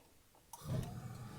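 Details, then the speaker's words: Gas water heater, just after the pilot was lit and the control turned up to the desired setting: soft click then a low steady whoosh as the main burner flame comes on and holds evenly; normal burner ignition. "And you can hear that flame come on, meaning it's going to start lighting, heating up the water."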